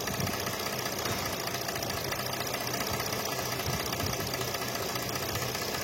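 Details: Mercedes-Benz AMG with 6-cylinder V6 engine (663), complaint of misfire and no pickup: rough unsteady shaky idle under heavy hiss; one bank dead from failed ignition coils, nearly all coils bad.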